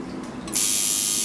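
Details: Coil tattoo machine after setting the contact screw to touch the front spring and adjusting the needle to the tip. Short tap, then a steady, even high-pitched buzz with no sputter: normal operation.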